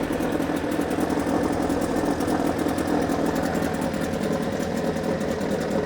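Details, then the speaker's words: Suzuki DT6/DT8 two-stroke outboard with a Chinese walk-behind-tractor carburetor fitted, fed from external tank via fuel pump: smooth, even idle buzz with no misses or surging; runs very well, no fuel overflowing after initial priming. "Мотор работает просто замечательно."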